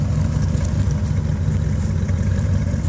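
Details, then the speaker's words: 1988 Corvette V8 first start after nearly two years sitting in the shop: steady, even burble and smooth low rumble at idle, no knocks or misses; idles normally despite being dirty. "okay she's out of her resting place idling okay but man she is dirty"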